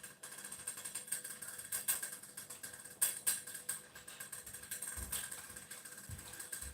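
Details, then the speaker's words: Saladmaster cookware lid vapor valve while cooking soup on medium heat: light irregular ticking a few times a second as the pan reaches temperature. The clicking is normal and signals turning the heat down to low. "now i believe we can hear the clicking sound intellect master will look at medium weight for the valve to click when you're hearing that stuff you put it down too low"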